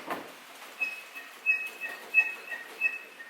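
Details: Mercedes G63 closed hood rocked: short, high chirping squeaks about 1.5 per second from a rubber bump stop rubbing metal under the hood, loud inside over street bumps; fixed with electrical tape.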